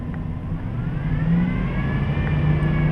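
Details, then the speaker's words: 2007 Dodge Durango engine revved above 2000–3000 rpm: medium to high-pitched whine rising with rpm, barely noticeable at low rpm; not the power steering pump (no noise when steering); caused by a worn serpentine belt idler pulley bearing, replaced. "that wine kind of a medium to higher pitched wine definitely increases with increasing rpms"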